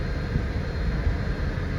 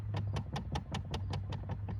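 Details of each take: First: 2013 Dodge Charger blend door actuator check: steady low running rumble with heat adjusted, no clicking from the dash, air flowing normally. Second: 2013 Dodge Charger under the dash: quick even ticking about five times a second over low hum from a failing blend door actuator; both sides bad, other side clicked louder and likely stripped.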